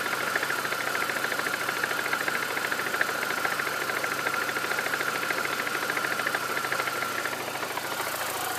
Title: Mini Cooper r53 jcw knocking noise?